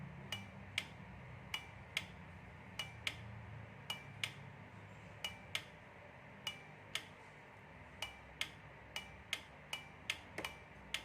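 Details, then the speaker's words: 12 V DC relay driven by a capacitive proximity sensor, just powered on: sharp clean single clicks at irregular intervals, about two per second, over a quiet background; relay switching normally. "so we can hear the sound of the relay here. We can even see here, we can even see the contact"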